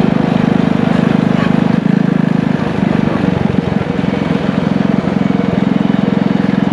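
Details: Single-cylinder engine from an old power washer, with a muffler and a 6.5 HP torque converter clutch, pulling a trike: quick, even putter under load, no slipping or knocking; engine and converter working perfectly.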